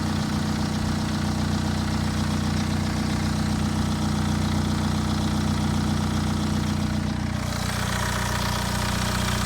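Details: Late-2009 BMW 320d with N47 diesel on a cold start: even idle clatter with a soft swooshing hiss behind it and no audible timing chain rattle; the swoosh's source is unclear.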